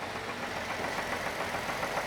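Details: Hot idling engine with a light, regular knock under the exhaust note, occurring only when warm; disconnecting a cylinder changes the knock, which is taken as confirming a worn rod/main bearing. Oil level and condition fine.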